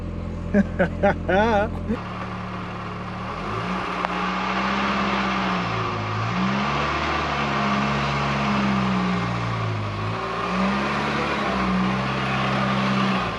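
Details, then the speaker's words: VW Golf Mk3 starting after its in-tank fuel pump motor was replaced: catches after a moment, settles to a steady idle and takes a few smooth revs; runs normally but still smokes a bit. "the golf is back and running still has a habit of smoking though that's not too bad"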